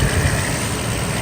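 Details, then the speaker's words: Mercedes SL600, warm, after vacuum hose repair and noisy pulley replacement: smooth, steady low idle with no growl or knock; engine runs much quieter, normal idle. "see the engine runs much quieter now there is no nasty growl from that pulley"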